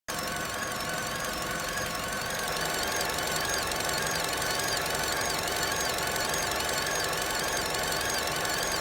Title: Whining noise on a 11 plate vauxhall corsa sxi